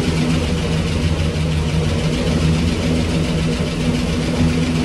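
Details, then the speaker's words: 1965 Cadillac Coupe DeVille V8 with Flowmaster exhausts, first start after 15 years, running on hand-fed fuel: a steady, even burble with no knocks or ticks and a possible small exhaust leak. Normal idle. "I think she's going to on her own if I can get fuel delivery to this thing uh she sounds pretty good I might have a little exhaust leak up here but it's nothing we can't handle"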